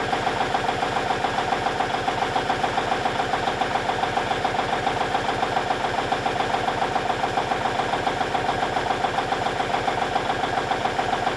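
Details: 1989 Kenworth K100E with Cummins Big CAM IV diesel, just cold-started at -6°C unplugged, warming at idle, a little smoky; even clatter about 214 beats a minute, steady with no misses: normal idle.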